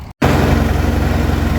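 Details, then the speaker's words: Farmall 806 diesel tractor planting with a John Deere 7000 planter, under load at about 10 mph and 1700 rpm (all it will give): heavy, uneven, pulsing thudding and labouring; suspected fuel starvation from clogged fuel filters. "She sounds terrible. It feels like it's lacking on fuel. So I'm really hoping it's just some clogged up fuel filters."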